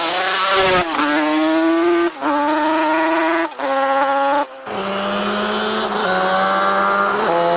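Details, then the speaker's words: Stock Yamaha Banshee two-stroke with pipes, porting and heavy-duty clutch swapped into a Grom supermoto, top-speed run: pitch flares sharply going over a hill under load, then drops back; clutch slipping. "alright so I don't know how well you guys heard that but going over that Hill you can definitely hear the clutch is slipping when the engine just sees more load it wants to slip the clutch"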